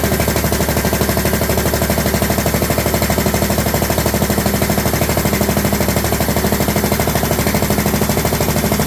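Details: John Deere LT150 with swapped-in 15 HP Kohler engine, no choke, after fuel pump primed: harsh rapid sharp popping bark at steady speed, far louder than normal; exhaust leak at overlong exhaust studs, later redone.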